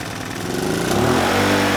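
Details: Honeywell HW2000i 2000-watt inverter generator, circa 2002, hard starter: runs smoothly and picks up speed evenly under load, no surging or stumbling; handles 1500 W with rock-solid hertz and voltage, so carburetor not suspected.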